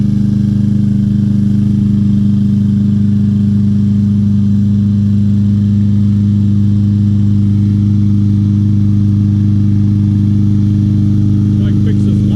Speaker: very nice Craftsman lawnmower didn't really find anything wrong with it very easy fix